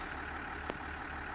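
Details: Warming 2010 Land Rover Discovery 4 HSE idling, heard from outside: low even engine hum holding steady with a single faint tap; smooth regular idle, no knocks or misfires.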